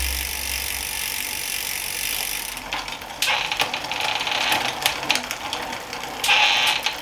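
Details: Planet X Pro-Carbon road bike in the workstand during a gear check: bright freewheel ticking with crisp clicks as the chain steps across the cogs. Shifts land cleanly; the rear shifting is judged a little sticky.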